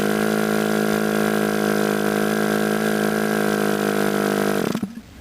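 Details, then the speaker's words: Model airplane glow engine being started, throttle opened little by little: a high steady buzz settles in for several seconds, then cuts out abruptly. Engine starting to fire. "doesn't start at first open the throttle up a little bit little by little until it does start so you can hear it starting to"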